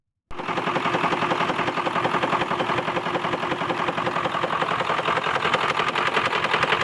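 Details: 2002 Ford F-450 7.3 Powerstroke diesel at idle: sharp, regular, evenly spaced rattling knock over the idle; owner suspects a bad injector, unconfirmed.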